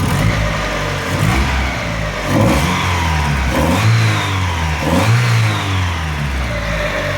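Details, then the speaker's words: 1.6 Mazda Miata, warmed up after cleaning hydraulic lifters, timing belt work and resetting base timing: idles and revs cleanly in short blips, only a light injector tick, no lifter tap, revving smoother. "The only ticking I can really hear are what sounds like the injectors. I don't think it's any lifter tick at all. It cleaned up pretty nice. It revs a little smoother."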